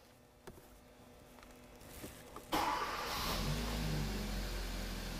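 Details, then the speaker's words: Vehicle with multiple DTCs on a scan tool voltage graph; short crank, quick catch, steady even run with no misses, voltage dipping then rising, showing a normal start and working charging system. "now you see that went down then went up okay so now we know the charging system is is working as well"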